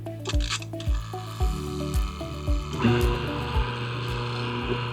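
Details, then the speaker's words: Mazzer coffee grinder after burr alignment mod: steady motor hum with light regular tick about twice a second, then scraping chirps as burrs touch, marking the zero point for calibrating the grinder. "when you hear that sound, it means the burrs are actually like hitting each other. So that's the 0 point."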